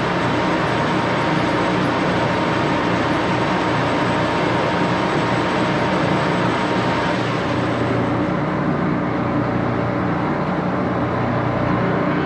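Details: 14x30" Axelson heavy-duty geared-head lathe run through its speeds, headstock filled with AW68 hydraulic oil (about SAE 20); dense, steady headstock gear whir and rumble, even throughout, easing at the upper end, normal.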